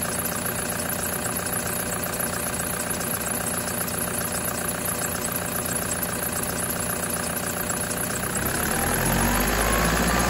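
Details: 2008 Prado 120, brand-new 1KD diesel, new injectors and turbo, stone cold at about 7°C, revved gently toward 2000 rpm: steady clatter near 220 a minute, faint aftermarket belt squeak; normal cold-engine noise.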